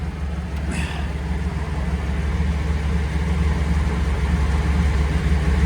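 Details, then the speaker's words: Delante convertible being restored, checked for fuel leaks (none found) before driving: deep even low idle rumble with steady beat, no ticks or knocks; one cooling fan running, the other has never worked; engine sounds healthy. "Let's listen to the engine."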